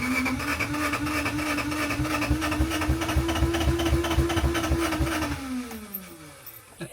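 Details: 1987 Honda CRX Si cranking after timing belt install: starter whines steadily, compression beats about four a second never catch, then spins down; no start, no fuel delivery, ECU found rusted and water-damaged, fixed by replacing it.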